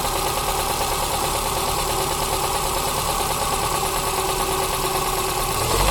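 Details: Toyota Corsa 5E-FHE engine started knocking: busy, rapid tapping at steady rate through idle; suspected connecting rod knock, not confirmed, engine to be opened up.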